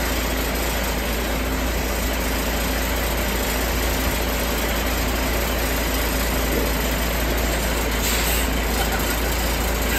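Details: 1973 Ward fire truck, little driven for several years, just after an early-morning start. The big old engine settles into a steady, even idle with no knocks or misses; fired right up and runs healthy.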